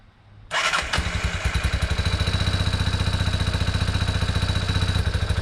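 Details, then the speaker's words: 1987 Yamaha Big Bear 350 4x4 ATV, carb not cleaned, air box replaced by a straight pod filter, undersized battery: starts quickly with a steady single-cylinder thump but runs only on choke; owner suspects a plugged carb or a lean mixture. "so she only wants to run on choke right now which is understandable considering I didn't clean that carb it could be plugged up as heck"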